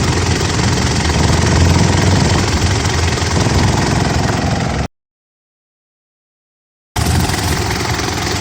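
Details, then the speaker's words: Gen 4 Mitsubishi Pajero after swapping an aftermarket air filter for a genuine Mitsubishi one, stopping the air box top half vibrating against the bottom: steady low even idle, resonant air box rattle gone. "all right that sounds better already something here that rattle's all gone now"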